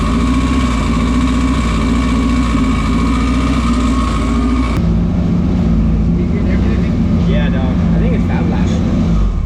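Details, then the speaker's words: Hot rod on a dyno day: a misfire persists after the spark plugs were replaced with new plugs gapped at 17. Loud revving settles to an idle with an irregular stumble; a compression check follows. Cause not yet found. "all right so we had a Miss so I have Jamie change the plugs and get started again I still hear it"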